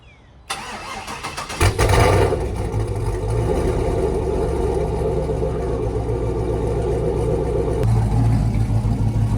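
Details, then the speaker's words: Chevy classic truck with LS swap, engine just reassembled after repair and warming up (158 degrees, light exhaust smoke earlier): cranks, catches and flares, then settles to a steady, even idle with no knocks or misses; normal start and idle. "Sounds good enough to me to take this pig for a ride."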